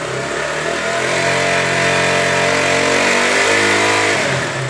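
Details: KTM Duke single during a charging coil stator plate replacement over a Low Battery fault, held near 5,000 rpm during stator voltage tests: smooth, even high revs, no misses or knocks, then easing off; healthy.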